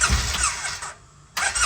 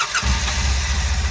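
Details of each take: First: 2008 Polaris Ranger Crew XP 700 fuel-injected: two short bursts of high whirring with gaps, engine never turns over; starter clutch slipping so starter free-spins without engaging flywheel, fix is starter clutch/bendix replacement. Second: 2008 Polaris Ranger Crew XP 700 fuel-injected, after starter clutch (Bendix) replacement for starter spinning without cranking: brief starter whir, engine catches immediately and runs with even low pulses; starter now engages properly, normal start.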